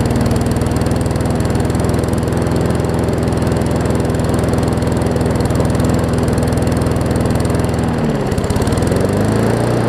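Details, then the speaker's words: Newer Murray push mower just after new carb diaphragms: steady chug well below working speed, about 200 beats a minute, even and clean; runs fine but slow, throttle/governor spring (a bit too long) needs setting. "it's running fine it's just running slow i just need to figure out the throttle situation i think i can make the spring work"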